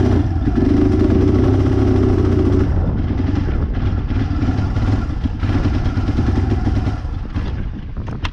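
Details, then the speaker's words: 2007 Kawasaki Bayou 250 ATV, bought cheap, first start attempt on choke: single cylinder chugs unevenly with irregular loping beats and no steady idle; carburetor issue, owner suspects stuck float flooding the carburetor, new carburetor to be fitted. "guys it's the carburetor issue and uh i cheated again man i'm cheating a lot here lately"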